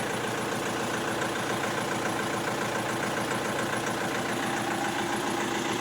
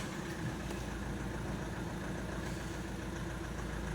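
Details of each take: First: Opel Astra H 1.7 CDTI diesel: misfiring, hunting idle, blinking glow-plug lamp, codes P0301-04, P0400, P0683. Uneven, lumpy idle shake with a faint irregular knock before cutting off; rough idle traced to a faulty engine control unit, later replaced. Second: Opel Astra H 1.7 CDTI diesel, after the engine control unit was replaced and flashed, with DPF and EGR deleted; previously misfired with hunting revs. Diesel clatter holds constant speed with no rise or fall; revs no longer floating; normal idle.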